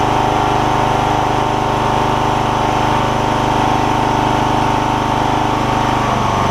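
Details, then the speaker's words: John Deere LX172 Kawasaki FC420V, reassembled after replacing ignition coil, igniter and spark plug to cure loud starting backfire: steady even single-cylinder idle putter, no misses or pops; running smoothly. "I've put it all back together still starting and running good I suppose let me see if I can get it back going again"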